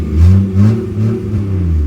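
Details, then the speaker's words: 1996 Jeep Grand Cherokee, warmed up at idle: low engine rumble sags and wavers, revs dipping, then the engine stalls and refuses to restart; check engine light goes off. Owner suspects an electrical issue, wiggles a wire underneath; often stalls while driving. "oh, there it goes. So yeah, it's a Jeep thing, all right."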